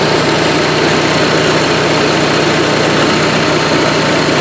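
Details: Onan Marquis 5500 RV generator (1998 Bounder motorhome, 20+ years old, 60 hours) after carburetor rebuild, running on gas from a can; loud constant buzzy drone, speed dead steady without hunting; owner says it sounds really good with plenty of life left; normal running.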